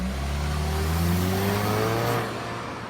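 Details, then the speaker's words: Turbocharged 4-cylinder car accelerating hard: rising engine tones with a faint hissing, high whistle climbing as revs build; a healthy turbocharger spooling up. "Do you hear that hissing? Or did you hear the hissing? That was the turbocharger in action."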